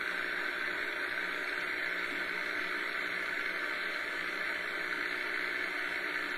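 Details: Realistic DX-200 shortwave receiver tuned to 40 m band, afternoon with HF conditions shown poor: steady even hiss, no signal breaking through; heavy background static, possibly from lack of rain and dry air.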